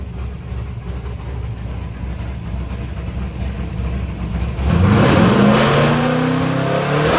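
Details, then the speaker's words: 1964 Ford Fairlane with modified dual carburetors, previously reluctant to accelerate, cold just after start. Low rumbling idle, then revs cleanly and freely with a smoothly rising note, no stumble or hesitation. Normal free revving. "It sounds good, though. >> That revved up about 45 herz."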